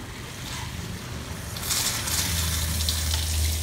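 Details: Shurflo 4008-101-A65 water pump in an Escape travel trailer, being primed after the strainer housing was filled with water and capped: rushing water, then a steady low electric drone as the pump catches prime and pulls water normally.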